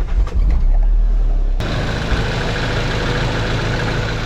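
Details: Nissan 300ZX with a swapped-in KA24DE, known for timing chain rattle, started after maintenance; handling clatter, then a steady, even idle with no clear knock or tick, condition unknown.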